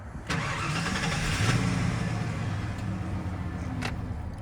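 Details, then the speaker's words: 1995 Ford F150 with a 5.8 Windsor V8, automatic, four-wheel drive, started with the key after a new ignition switch and a replaced idle air control valve (for high idle): a short crank, a clean catch, and a steady idle. Normal start. "I had to get a new ignition switch on the bottom, so now I could start it with the key."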